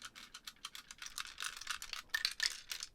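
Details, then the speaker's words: 1980s Alba CP3 personal radio cassette player, not working, being shaken: irregular light jangling and clicking like a loose part rolling inside the case; a loose battery connection is also suspected. "there's something jangling around in there and that's not a good sound so um let's take a look shall we see what's in there"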